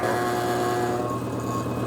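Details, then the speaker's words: Homemade 80-gallon shop compressor running while building pressure toward about 85; some rubber was mounted but is not enough. A steady motor drone with a fluttering metallic buzz; a loose lid that quiets when a screwdriver is wedged behind it or pushed, needs tweaking. "I wedge a screwdriver in behind this lid and it it kind of shuts up even more if I push on it so I think I need to just tweak on this lid"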